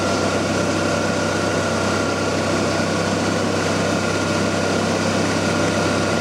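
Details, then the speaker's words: 1994 Ford Ranger during an R134a A/C recharge, engine running: a steady, even drone with the compressor running continuously. The clutch no longer cycles on and off, so the system now holds enough pressure. "you can hear the a see clutch cycling off and on"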